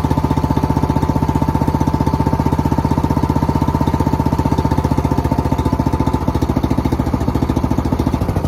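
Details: Engine after carb clean, first run in 2 years: steady, even rapid chug with no misses or knocks throughout; running smoothly and healthy.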